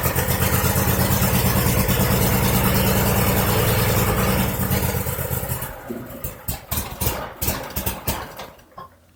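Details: 2001 Cub Cadet 3184 tractor, Kohler CH18S 18 hp OHV engine, 848 hours, before tune-up: stumbling, hunting idle for about five seconds, then it dies; rough running.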